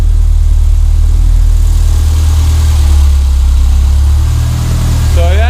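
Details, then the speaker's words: Renault 5 GT Turbo after repairing fuel and boost lines chewed by mice, previously running very rich and hard to start; now starts first time, deep steady even idle rumble with no stumbles or misses, fuel ratio good. "so it starts first time now is the right flipping pain it was to start it's all choking up and everything takes over that nice now and yeah the fuel ratio is all good as well"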